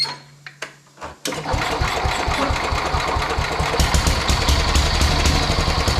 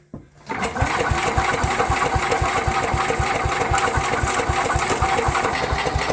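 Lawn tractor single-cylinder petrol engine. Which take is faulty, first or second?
second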